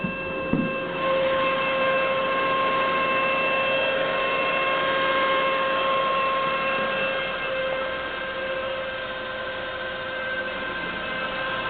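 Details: 1999 SAAB 9-5 2.0T, 156k miles, cold: steady high-pitched whine over a quiet engine hum until warm; diagnosed as thick oil sludge in sump, repaired by cleaning sump and strainer/pickup.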